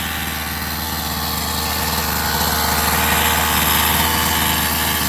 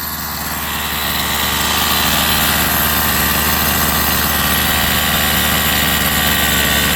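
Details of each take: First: Rovan 45cc two-stroke in XLT RC after new clutch carrier and 8,000 clutch spring: steady, even idle buzz with no shaking, big improvement; clutch was likely out of balance. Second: Rovan 45cc two-stroke in XLT RC after clutch change: steady buzzy run with flat, dull tone, no power, "like it's not breathing"; owner wonders if too rich.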